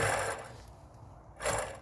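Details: 1992 Classic Mini, wheel and drum off, bare rear hub turned by hand: two coarse, gritty, dry rasps rather than a smooth spin. Split-type rear wheel bearings are worn out and being replaced.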